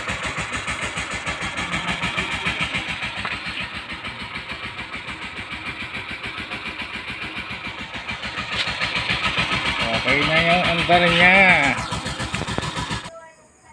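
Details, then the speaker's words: Suzuki GD110 motorcycle after replacing the snapped Allen bolt on the starter bendix at the magneto, which had caused a helicopter-like starter clatter: it starts and settles into an even beat of about 3–4 pulses a second, no starter clatter. "Okay mga boss, yun na nga na natanggal na yung ingay niya. At ito na siya ngayon nung magawa natin."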